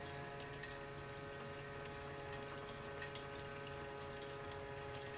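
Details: Fuel transfer pump in a truck's fuel tank, truck not run in 6 years, pumping out old orange, fermented-smelling gas: quiet even electric hum with liquid gurgling, no surging or grinding; pump working normally.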